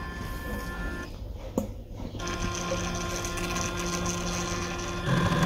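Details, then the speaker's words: Rheem Prestige condensing tankless combo boiler, first power-up after installation: a steady hum with faint tones during its roughly 15-second setup self-test, then a light buzzing clatter as the auto filler kicks on. Normal startup. "going through its setup procedure I think it'll take 15 seconds or so I believe it said that's the auto filler just kicked on"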